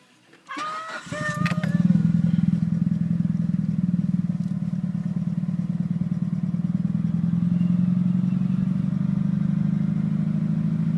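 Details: Mitsubishi Evo with bolt-ons, Walbro 255 pump and 1200cc injectors, cold start at 39°F: brief crank then lumpy stumbling idle, misfiring badly and setting cylinder 1 misfire code; restarts fine after warming and sitting about five minutes.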